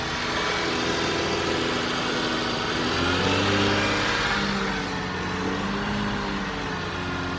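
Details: 2005 Porsche 987 Boxster S, M96 3.2L just rebuilt, first start warming up: even idle picks up smoothly into clean revs and drops back steady; healthy.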